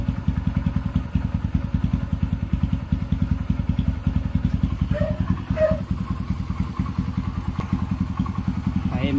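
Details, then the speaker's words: Kawasaki Barako 175 after clutch housing fix for first-gear judder: single-cylinder thumping evenly under gentle throttle, no shudder on takeoff, judder mostly gone with slight trace left, side scraping noise gone. "Na mga kapit, wala na yung kaldag niya. Meron pa konti pero hindi na siya sobrang lakas na katulad ng dati."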